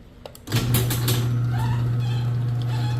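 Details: Chamberlain LiftMaster 1/3 hp garage door opener after repairing a jammed closed carriage: steady low motor hum, smooth chain travel and no squeak or clanking, so the opener runs normally.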